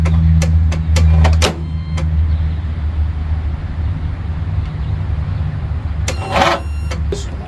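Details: 20 hp Briggs mower engine that sat about five to eight years, cranked with WD-40 as starting fluid: a loud, steady starter drone turning it over, never firing. It cranks but won't start; a bad starter is possible, cause not confirmed.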